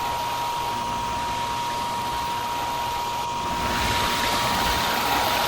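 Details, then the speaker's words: Hayward pool heater, thermostat calling for heat after power reset: combustion blower runs its pre-purge with a steady, even fan rush and constant mid-pitched tone, then a fuller whoosh as the burner lights; the old, rusty used blower motor works normally. "After the pre-purge cycle, the burner should come on. Okay, that's our pre-purge. Next, we should have the combustion cycle."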